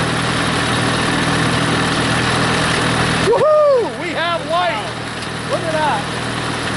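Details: Massey Harris 81 tractor, first start in 15 years, with an engine-driven generator (about 5300 W, unused since the tractor sat) powering a plugged-in light: steady low engine drone holding an even beat under the light load, voice midway; running normally.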